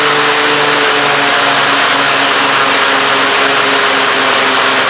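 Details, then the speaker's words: Husqvarna YTH2448 with 24 hp Briggs V-twin, new plugs: loud, rough, lumpy beat with pop-pop sputtering, one cylinder weak or dead; misfire traced to that cylinder, head gasket and valve lash being checked. "as you can hear it's full throttle with the deck engaged it stops to pop and actually seems around alright but okay it's got new plugs"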